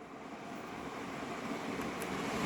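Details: Newly installed Hiso Hu range hood fan stepped through speed levels 1 to 4 by button: even airy whoosh building steadily, very loud at levels 3-4 moving lots of air, no rattle or scraping; normal.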